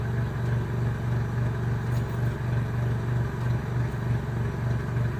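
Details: Renault Megane 2 1.6 16V at idle, with the car shaking: a low idle that throbs and dips in a steady pulse about three times a second, a misfire symptom with no fault found by a Delphi DS150 scan.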